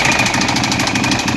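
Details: 2012 Ducati 848 at idle: a fast, sharp metallic knocking rides over the idle. It is a mechanical knock whose source is unknown, and the owner is asking what it is.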